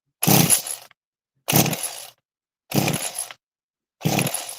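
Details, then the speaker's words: Small trimmer engine being pull-started with the choke on and throttle floored: four pulls about 1.3 s apart, spinning freely but never catching; it sounds tight but seems to get no fuel, cause unconfirmed. "The engine sounds nice and tight. Okay. But it doesn't sound like it's getting any fuel whatsoever."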